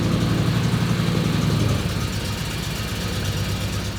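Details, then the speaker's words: 1962 Chevrolet Impala first drive out of shop in five months: deep idle rumble with faint puffing tick on each exhaust pulse from a remaining exhaust leak, to be fixed later. "don't know if you can hear but it still has the exhaust leak we're gonna deal with that later on"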